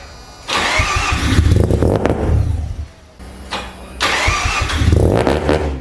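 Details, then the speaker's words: Mazda FD RX7 RS Series 8 bridgeport rotary, Hypergear T51R single turbo conversion, first start attempts: two cranking bursts, each catching with loud ragged firing then dying; won't keep running, suspected trigger setup and fuel issues. "So I'm not gonna lie, we had some fun yesterday trying to work out how exactly to start this car, and we didn't have too much luck. Hussein had such little time, and we got it to fire a few times."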